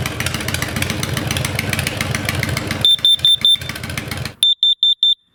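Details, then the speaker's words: Kidde KN-COPP-B-LPM carbon monoxide alarm placed behind an idling motorcycle's exhaust; engine idle with shrill alarm chirping in quick sets of four, triggered by exhaust CO. Reading later dropped back to 0. "Out of curiosity, I'm going to put the meter behind the exhaust of my motorcycle."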